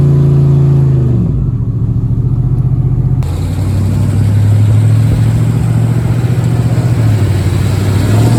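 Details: Chevrolet Avalanche truck after an exhaust fix on an owner-built exhaust, following a successful test drive. A deep burble that rises cleanly with revs and settles back, with no ticking, leaks or rattles: a normal exhaust note.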